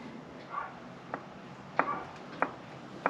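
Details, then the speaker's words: Leyland Mini 1275 (Australian Clubman), engine stopped, flywheel end rocked: a few sharp uneven wooden clunks about ninety a minute with side-to-side and in-out movement; excessive crankshaft play, worn crankshaft and block suspected. "can you see and hear that that is ridiculous yes the engine is rocking but look at that side to side movement not a lot up and down but they're side to side and there is also lateral movement so in and out"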